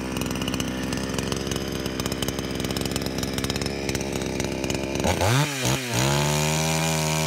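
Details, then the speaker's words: Nakayama PC 4500 petrol chainsaw, 45 cc, 2.49 hp, 46 cm bar, restarted warm without choke, cutting a log over 13 cm diameter; high steady scream at full revs, brief bog under load, then even idle; normal running. "Εδώ βλέπουμε χωρίς κανένα πρόβλημα, παιδιά. Το έχει ξεσκίσει, όχι απλά το έχει κόψει."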